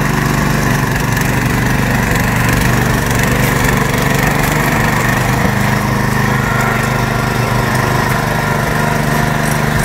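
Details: Kalibr MK 7.0 petrol tiller started on choke with throttle at max/start, choke moved off after 10–40 seconds warm-up; steady, even single-cylinder chug with no misses or surging, running smoothly.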